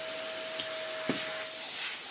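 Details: Worn, well-used Dyson DC19 T2 cylinder bagless vacuum in for a full refurb, first switch-on before any work: a thin, strained high-pitched motor whine with an airy hiss, running but unable to produce enough airflow; low suction.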